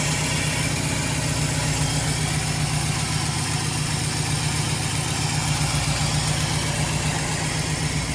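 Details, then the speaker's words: Studebaker Champ pickup engine running, heard from under the hood, AC on; vacuum about 16.5 shows good sealing: steady, even idle with regular low thump about four beats a second, no knocks or misses. "Take you out here to look under the hood. There's the engine running."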